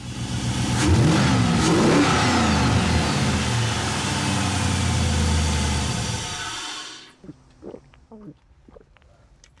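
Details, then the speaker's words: '98 Chevy Blazer 4x4 with swapped used LS1 engine, after VCM programming and VATS relink: catches quickly, clean rev and settles, pulling smoothly with no misfire or knock before shutdown. "Well, sounds like the LS approves of its new jam-packed"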